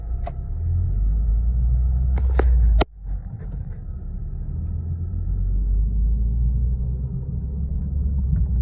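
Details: Toyota Corolla Altis, heard inside the cabin while driving: a low, steady droning rumble at road speed, the kind a worn wheel bearing makes.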